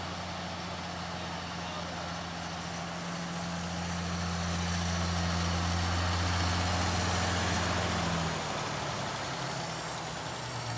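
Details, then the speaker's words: 1959 Plymouth Suburban six after sitting a long time, barn-find first start; soft, smooth, very quiet low hum at idle with an even beat; normal idle. "that's so quiet i can't hear it run i think it's going to blow up"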